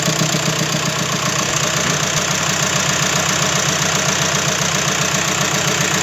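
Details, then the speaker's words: 2007 Skoda Fabia converted from 1.2 three-cylinder petrol to a donor 1.9 PD turbo diesel, first runs with warning lights on and no exhaust fitted: loud, raw, rattly idle with a sharp even chatter and nothing muffling it. "I've got a few warning lights on, but that's not really an issue. Fuel one, unfortunately. There's no exhaust either."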